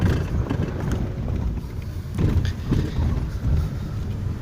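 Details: Daewoo/Chevrolet with fully renewed suspension (new struts, links, tie rod ends, strut bearings, mounts) crossing rail tracks: dull thuds under cabin rumble, louder on the driver's left than the right, from loose front brake pads; quiet at speed.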